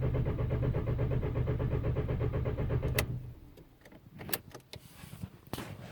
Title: 03 jetta tdi crank no start